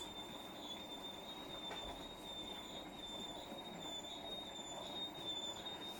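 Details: Hotpoint appliance making a thin, high-pitched squeal, steady with a faint wavering pulse, over a quiet running hum; something rubbing or dry, cause unknown.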